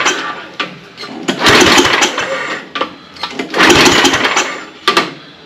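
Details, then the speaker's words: ST824 8 hp snow blower, pull-started for a compression test at wide-open throttle with the choke open: strong, even puffs on every pull, reading almost 70 psi; normal, healthy compression. "and I'm up to looks like almost 70 lb real close to 70"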